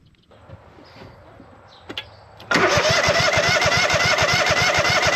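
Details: Hustler Z zero-turn mower bought for $350, after a half-finished engine swap was completed with a new fuel pump and carb kit: first start with exhaust not yet built. The engine fires and settles into a strong, even beat of about 3.5 pulses per second and runs cleanly.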